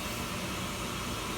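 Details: Slant-Fin VSPH-120 gas boiler running in cold weather, getting warmer, before the pressurized fan shuts off; steady even rushing hum with no knocks, rattles or surging – normal operation.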